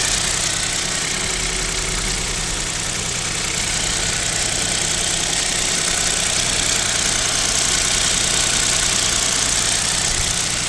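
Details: KIA Picanto 2, 1.0 G3LA, cold start at about -7°C: fairly regular light tapping, about three a second, over thin hissy engine note; owner suspects piston knock, unconfirmed.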